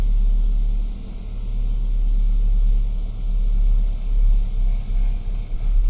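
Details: BMW E92 320i N46N petrol at cold-start idle: uneven, lumpy rumble, no fault codes and no vacuum leak; before and after fix compared.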